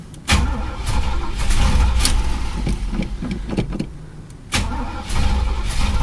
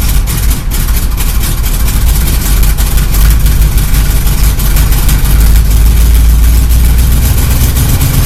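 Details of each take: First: Chevy El Camino sitting about six weeks, gas gauge broken and reading full: starter cranks steadily, pauses, cranks again but never catches; nothing coming out of the fuel filter, tank empty; no start from fuel starvation. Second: Chevy El Camino, carbureted, ice cold after sitting about a month and a half, running after gas was poured into the carb; deep, steady, even idle with no misses. Good cold idle shows the carburetor works and the old gas hadn't gummed it.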